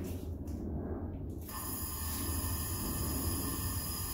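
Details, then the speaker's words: Honda B18B1 engine leak-down test, tester set around 75–100 psi, cylinder at TDC but not on compression stroke: steady airy hiss after a brief shuffle as air escapes through open valves. "as you can see it's leaking air so that's not what you want you want it so that everything is sealed compression stroke"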